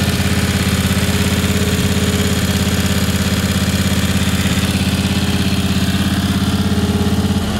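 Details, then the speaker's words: Ingersoll 448 lawn tractor, Briggs & Stratton 18 hp Vanguard V-twin: steady, even low thump at idle, no stumble or surging. Normal idle. "so you guys could hear how this engine sounded without the air filter at all it ran perfectly fine"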